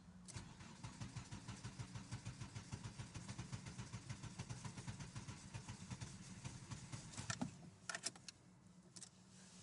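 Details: Crank-no-start on a car with a problematic engine that stalls, losing antifreeze and leaking brakes: steady starter churn, about four compression pulses a second for seven seconds, never catching; cause suspected, unconfirmed.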